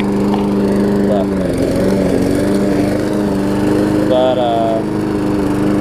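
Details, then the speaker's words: Trade-in lawn mower after a throttle-linkage adjustment runs fast, but its pitch wavers and briefly bogs as the throttle is swung back and forth. This stumbling test shows a worn carburetor diaphragm needing replacement. "That's a good test, is just move it back and forth like that, and if the mower is stumbling and stuff, then you do need to put a diaphragm in it."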